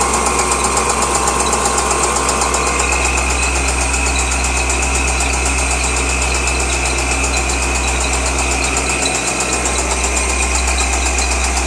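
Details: 2003 Corvette Z06, LS6 V8: steady idle with a quick ticking knock, about two or three a second, over the deep exhaust drone; engine knock at idle.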